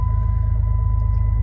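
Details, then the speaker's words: White Jeep cold start a couple of weeks after replacing a dirty fuel filter. It catches straight away and settles into a steady, even low rumble with no stumbling. Healthy cold start; the fuel filter was the cause. "man just was a fuel filter that man that thing just gets dirty quicky quicky quickly but uh it starts right up now"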